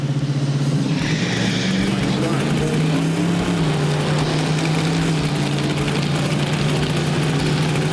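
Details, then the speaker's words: V8 in a 1972 Chevrolet Nova project car, full-throttle shakedown pass down the drag strip: a loud, hard-pulling note that runs ragged and uneven the whole way. Crew are unsure whether it is pinging, detonation or exhaust, and lean toward a misfire under load. "I mean it sound like a misfire all the way down the track. Not so much detonation."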